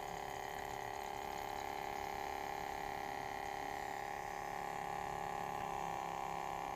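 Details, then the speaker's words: Ematic DVD player: a loud, steady roar with a constant mid-pitched tone that never changes; abnormal noise, cause unknown. "Holy shoot, this DVD player has a loud noise."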